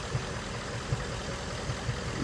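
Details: 2017 Ford Mustang GT 5.0 Coyote V8 idling, codes P0302/P0316, cylinder 2 misfire; cause unfound; low rumble broken by uneven, irregular thumps every half second, a lumpy stumble.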